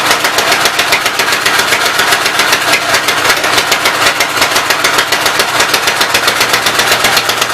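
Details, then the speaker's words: Fast, rattly running with ticking clatter throughout on the Westchester engine, valve cover off, oil spraying; owner thinks it started smoking because a block was knocked out from behind, oil going up from crankcase; top end needs rebuilding. "I think it started smoking because I knocked the one block out from behind it. All the oil's hanging out in the crankcase and going up around it."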